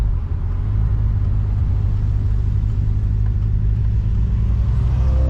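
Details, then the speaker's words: Supercharged Pontiac GTO, warmed up, accelerating after a roughly $60 upgrade: deep steady rumble pulling evenly, no driveline clunks or knocks; goes into gear better, instant power delivery where worn bushings once caused hesitation. "So it goes into gear way better. The power delivery is like instant now. There used to be a little bit of hesitation before the power would start coming in, but it makes sense with sloppy bushings and stuff."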